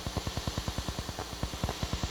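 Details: Crown CSC-850F stereo, previously repaired and returned, tape mode at full volume, microphones at one speaker: rapid fairly even popping about eight per second over faint hiss; owner suspects a dirty record switch, unconfirmed.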